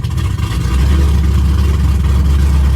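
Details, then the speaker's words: 2006 Mustang GT V8 just after an engine rebuild with new mods, first start running rich with smoke: very loud, deep, raw booming rumble at idle, rising slightly, exhaust open with no mufflers. "Holy. This shit is so loud."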